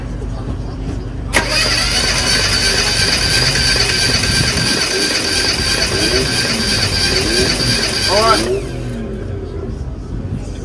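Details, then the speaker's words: About seven seconds of steady, even cranking with no stumble during a compression test on an engine with a misfire. This cylinder reads 230 PSI, and another reads 214, all good; normal cranking. "230 all right all pretty good yeah all pretty good"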